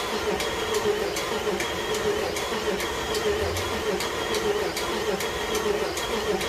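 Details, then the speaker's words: Jeep engine just reinstalled with new connecting rod bearings, cranked with injector fuse out to build oil pressure after fresh oil fill: light regular tick, a bit under one a second, over steady cranking drone; owner wonders what is ticking, cause unknown. "Something's ticking. Wonder what that noise is already. It's turned over for a bit. It should have some oil in it."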